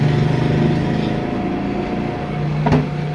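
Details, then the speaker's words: Super Asia air cooler converted from 220V AC to 12V DC with new motor and pump, fan stepped from full speed to second then slowest third setting; steady low electric hum under even airflow, no rattles or scraping; running normally. "तो ये full speed पे चल रहा है। उसके बाद ये हमने इसको थोड़ा सा लो किया, दूसरे नंबर पे आ गया, इसको और लो किया तो ये तीसरे नंबर के ऊपर बिल्कुल स्लो हो गया है।"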